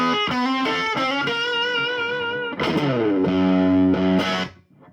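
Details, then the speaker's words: 1963 Fender Princeton tube guitar amp, deliberately overdriven to show blocking distortion: notes turn fuzzy and spitty and choke into farty sputters on hard chords; the phase inverter cannot cope. "Fuzz-like, spitty, bloated, farty, all the adjectives would apply there. The phase inverter cannot cope."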